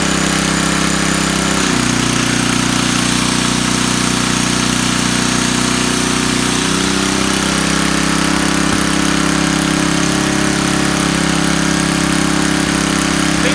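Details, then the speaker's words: Coleman Powermate 4000 W generator, Tecumseh 8 hp flathead, after a carburetor replacement, burning off oil in the muffler, tested under load: a steady single-cylinder thrum with a slight pitch shift as the load changes, no misses; normal running. "Working just fine, so like I said, just burning off the oil in the muffler."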